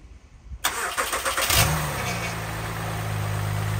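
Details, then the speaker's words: 2010-2013 Acura ZDX V6 after replacing the timing belt, water pump, drive belt and J-pipe, started with the covers still off: a brief crank, a quick catch, then a steady, even idle with no ticks or knocks, sounding better than before. "all right engine sounds good all right our car started we're good to go"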